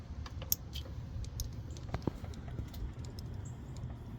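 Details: Honda Pilot with P0456 EVAP leak, new EVAP vent solenoid fitted, smoke test: a few sharp light clicks as the valve is switched on and off over a low hum; closes properly, solenoid working normally.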